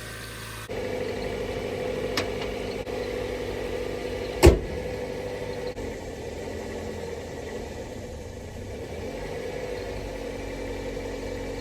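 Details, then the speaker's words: Car just restarted after battery read about 10 and was trickle-charged with booster box: steady, even engine drone holding high, never settling to normal idle, one brief click; idle too high, later stalls when braking. "Everything sounds good. It's just running very high."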